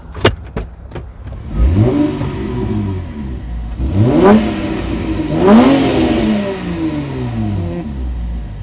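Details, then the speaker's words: Auction V6 car with 173,614 km on the factory muffler, heard from outside. Three clean blips up and back down with a smooth, even, quiet note; a healthy engine on a stock exhaust. "I think it's actually just the factory exhaust really well the muffler is the factory and it's not that loud outside"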